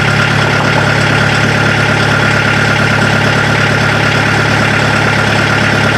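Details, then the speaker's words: Mazda B1800 / Ford Courier pickup with VW diesel swap, started after 10-second glow plug preheat: steady, even diesel idle with its usual clatter; engine running normally. "while she's up and running again can you hear the exhaust over that clanking of the motor"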